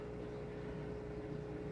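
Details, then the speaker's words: XpertMatic DB-366 aquarium air pump running in a 150-gallon tank; low steady hum with soft even buzz, slight normal vibration, no rattle, fairly quiet. "otherwise it's pretty quiet and you certainly don't have to run it full blast the way i'm running it"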